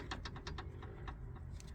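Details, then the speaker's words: Nissan Qashqai dCi with a drop link installed by the previous owner with its nut loose. Light, sharp knocks come in quick bursts as the suspension is rocked by hand. Loose drop link; fixed by adding and doubling up a nut. "So I end up I had a old drag um drop link there. So I managed to find a nut extra nut as you can see there."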